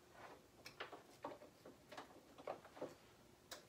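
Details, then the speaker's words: Samsung TV of about 40–42 inches that is slow to power up: standby light flashes five times, then the power relay clicks repeatedly, light and irregular, without the set starting; cause suspected, not confirmed. "it flashes five times and then you can hear it click in a little power up there just clicked again try it again"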